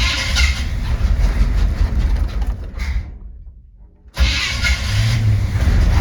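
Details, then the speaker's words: 1970 Chevy C20 V8 after a new fuel pump, started with an empty carb and the choke not hooked up: fires and runs roughly about three seconds, then dies. Stalls after starting; won't idle yet. "oh yeah sounds good until it dies [Music] and a little all right so it's not getting idle right off the bat"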